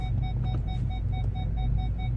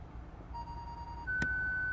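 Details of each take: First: Ford Galaxy final test after repair (fault B1B53 cleared), engine idling, first gear: front sensor's mid-pitched beeps quicken as obstacle nears, then hold a continuous tone; problem fixed, working properly. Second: Ford Galaxy parking aid with stored fault B1B53: on activation the worn, damaged front speaker gives one quick mid-pitched beep, then a higher steady tone as the system detects a fault and shuts down; ON light flashes. Speaker fault, before repair.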